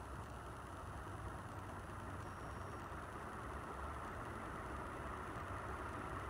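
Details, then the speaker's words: Montgomery Ward 36-inch industrial ceiling fan running on speed 1 after stepping down from speed 5: smooth, even quiet whoosh with no ticking, rubbing or wobble; silent bearings, well balanced, normal running. "You can hear silent bearings. Very well balanced."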